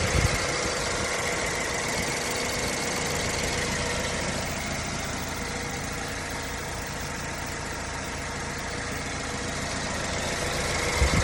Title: BMW 116i E81 Engine Ticking Noise - Any help?